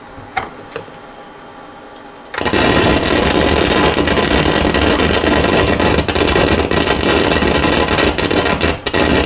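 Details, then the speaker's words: Pioneer SX-6000 receiver, phono input played through a speaker with signal off: quiet pops, then a sudden loud steady crackling hiss with random spits; probably noisy transistors on the phono head amp board, both channels looking bad. "So yeah, I'm going to have to see, it's probably noisy transistors, and I'd say both channels are looking bad."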